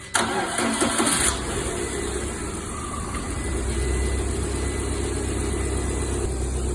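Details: Lada Priora after repair, injector wiring spliced directly and soldered, gas-system injector connection removed: cranks briefly, catches and settles into a steady, even idle with no misses or knocks; normal start and idle.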